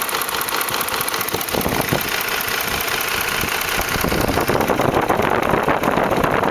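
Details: 2004 Ford F150 5.4L 3V V8 idling with a fast, uneven ticking knock: the timing chains slap against the block because the chain tensioners failed. Fixed by replacing the cam phasers, timing chains and tensioners.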